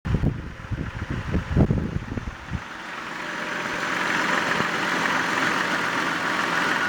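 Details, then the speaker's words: 1995 Jeep Grand Cherokee idling roughly with uneven, lumpy low thumps that become erratic when the brake pedal is pressed, then settling into a steadier hum once the brake is released. "I just stepped on the brake, which causes the erratic idle."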